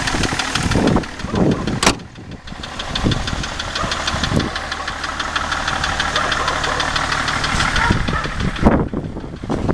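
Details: BMW E38 730d with M57 diesel at idle; steady, rapid knocking rides over the idle and follows engine speed, an internal engine knock whose source is unknown.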